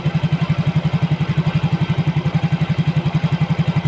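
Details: Yamaha Mio GT injected scooter, earlier hard-starting and stalling at idle, now with new injector, CO trim 7%, O2 sensor 0.49 V, idle control 19.0%, 1300 rpm. Even, regular putter holding without stumbling; response good, normal idle.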